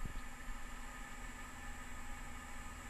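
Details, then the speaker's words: Radon mitigation fan recorded with microphone held next to it: soft steady low hum with faint whine, quieter than an outdoor AC condenser, no rattle or wobble; normal running. "it's gonna be more quiet than like a ac condenser on the outside of the house but there is a little bit of a humming noise"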